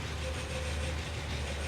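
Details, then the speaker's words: 1936-era Rolls-Royce Phantom III V12 imported from Japan, under restoration: deep, even idle with a faint steady whine on top; the odd noise comes from an uncooperative generator, which is why it isn't charging. "It's a generator making that noise. Oh, okay. Yeah, that's why it's not charging. Yeah, right. So all those weird noises you're hearing are coming from an uncooperative generator."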